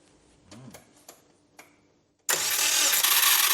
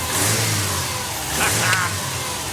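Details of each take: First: Subaru Brumby (BRAT) ute with a rebuilt engine, cranked with the ECU disconnected so there is no fuel or spark. A couple of seconds of loud, harsh, high-pitched whirring grind with no firing; the starter motor is suspected of being unhappy, not confirmed. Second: Subaru Brumby (BRAT) ute with EJ20 engine on fresh 98 petrol, first start after restoration with replaced fuel lines: short clean throttle blip, revs rise and fall evenly with no knocks or misses, healthy fresh engine.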